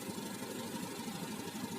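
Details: Fuel-injected motorcycle with engine running and fuel pressure reading 41 psi (about 294 kPa), normal per the service manual. Steady, even idle with a regular low putter and no knocks or misses.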